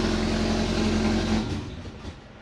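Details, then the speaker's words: Turbo Subaru after a DIY exhaust manifold to up-pipe adaptor, started with the throttle cracked: a loud raspy chuff rides over the engine, a big exhaust leak. The owner suspects the V-band, which was sanded flat and is not lined up properly. "Big exhaust leak, man. Where was that coming from? Where was it coming from? I wish it would idle so I could see. I think it might be safe to say probably from the Vband."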